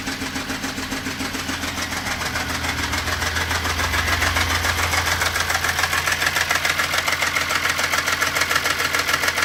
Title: VR6 ticking noise from cylinder head